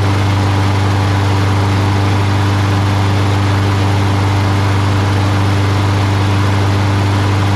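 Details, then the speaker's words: Craftsman mower, Briggs Quantum 6.75: after fixing the choke flap, tightening the loose choke spring and blowing out the carb holes, steady even idle with a smooth beat, no misses or surging; runs pretty well. "Blew the holes out a little bit, because it does run pretty well, right?"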